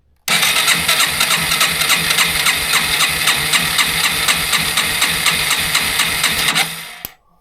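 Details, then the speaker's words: 2005 Yamaha TW200 compression test, spark plug out, cranked at wide-open throttle: even, strong chuffs about four per second, each stroke alike; about 150–152 psi, healthy stock compression. "All right, that's really healthy, guys. Like 150, let's see. 151, 2, so really healthy for this bike with a stock compression."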